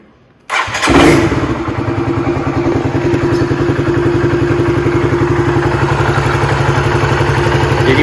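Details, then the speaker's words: Honda CBR150R after swapping the automatic ISC for a manual one, idle lowered from about 1500-1700 rpm toward 1200-1400 rpm; catches on the starter and settles into a steady, even low idle: normal low idle. "Terusan kita coba starter ya. Ini RPM-nya udah saya kecilin."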